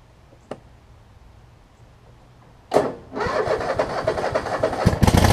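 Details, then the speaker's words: Troy Bilt Mustang zero turn mower, cold start after muffler reattached: short crank, catches within seconds into steady even idle; slow when cold but normal start and idle. "it's a little slow to start when cold but it starts it starts up within 10 seconds so I remember if I remember right these coers are a little bit temperamental in terms of starting"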